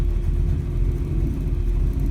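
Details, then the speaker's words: 1948 Mercury coupe V8 with a mild cam, at cold idle just after start with cold water temperature and oil pressure a little over 60: deep, even rumble, no knocks, misses or ticks. Normal cold idle. "Just have a little bit of a cam to it. You can hear it's just got the right amount of rumble."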